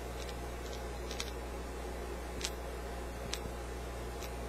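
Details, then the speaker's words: Defective 6J6 miniature vacuum tube with intact glass and pins, rolled by hand: light, sharp uneven clicks as an internal element rattles loose inside. This could cause internal short circuits. "but it's not supposed to be loose and flopping around like that you know though that would create short circuits inside the tube"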